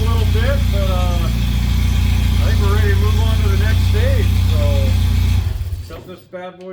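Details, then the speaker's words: Suzuki Samurai rock crawler on propane, first start after fixing a vacuum leak, radiator out and no coolant flowing yet: steady, even low rumble with no flutter, miss or rattle before shutdown; engine running smoothly. "down and let's do some more sounds good does sounds very good huh I like it"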